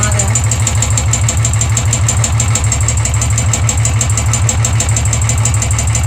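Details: Royal Enfield 350 at idle: a crisp metallic tick about three times a second over the steady thump, suspected valve tappet noise, unconfirmed.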